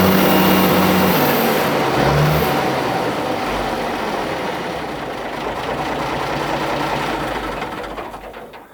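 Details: Minneapolis Moline G1000 tractor start-up: the big engine fires and settles into a steady, even idle with a deep, solid beat and no knocks or misses. Normal start-up and idle.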